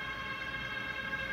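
Steady high electronic tone held throughout with nothing else mixed in; the normal alert as the infusion bottle rises during prime.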